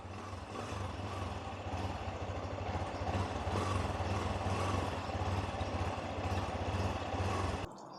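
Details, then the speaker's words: Yamaha motorcycle (Y16ZR/NMAX/XMAX) after pairing new aftermarket keyless remote: switched on and started, catches cleanly into a steady, even idle pulse with no clatter before shutting off; healthy start, setup successful. "Okey, kita on. Kita tekan on. Kita start. Berjaya."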